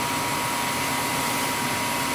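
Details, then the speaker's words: Old gas furnace with clicking complaint, after flame sensor cleaning: blower kicks in with smooth airy rush and faint hum, no clicks or ticks; noise did not occur. "The fans kicked in. It didn't make the noise."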